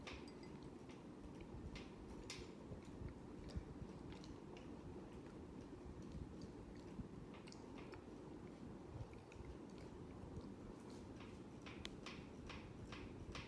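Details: Hampton Bay Huntington III ceiling fan running, recorded February 2024: soft, fairly regular clicks over a quiet low hum; rhythmic clicking from somewhere in the fan, cause unclear.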